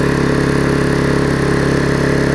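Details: Vulcan 18" mower's small two-stroke, revived after freeing the rusted flywheel from the magneto and fitting a new intake pipe, runs at full throttle with a steady, even buzz, no misses or surging; quiet with its bigger muffler, running properly.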